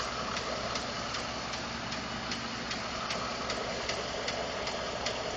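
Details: 2012 Ford F150 5.0 V8 warm idle after running a while; light metallic ticks roughly 150 per minute over smooth idle; owner told it may be normal injector, fuel pump or tolerance noise; origin unknown.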